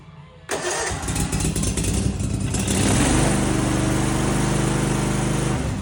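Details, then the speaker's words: Older Snapper zero-turn mower after bypass rewiring of faulty safety switches, running without air filter: catches right away, revs briefly, then settles to an even steady idle with no miss or hunting; normal. "she's purring like a kitten."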